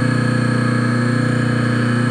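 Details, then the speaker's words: Three-phase motor on single-phase power with a ~35 µF, 270 V run capacitor across phases, no VFD or converter; steady even hum with no growl or surging, starting and running like a normal three-phase motor. "I mean the motor sound right that's way a three-phase motor sounds when they're on so and the startup sound sounds like a three-phase motor too"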